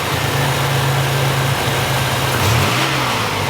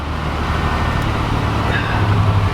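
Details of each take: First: 1987 Buick Grand National after new fuel injectors, fuel pressure regulator and ECM chip: idles steady, then a quick clean rev and settle with no stumble or hesitation; runs smooth, though the regulator is leaking fuel. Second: 1987 Buick Grand National, junkyard car, still cold and warming up; a low, uneven idle that sags as if about to stall; the cause is not yet found.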